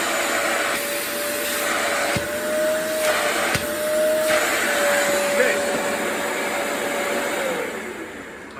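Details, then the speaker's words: Tineco, Bissell or Hoover carpet shampooer suction test with paper over the inlet: even, unwavering motor whine over a strong rush of air, no surging or rattles; suction motor healthy. "so without a gauge I would say that's good okay without a gauge without some kind of uh fancy gauge which most people are probably not going to have a suction gauge in their house this is probably as good as you're gonna get with testing that suction"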